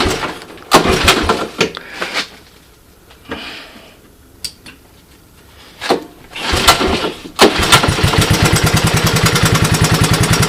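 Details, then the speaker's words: 1982 Honda ATC185 single after replacing vacuum-leaking carburetor with clone carb, briefly on choke; after some clatter settles to slow, even putter with no misses, no smoke when revved, no more popping; healthy idle. "see the way it idles nice and slow so there she is right when you uh when you gun it and so forth there's no puffing of smoke"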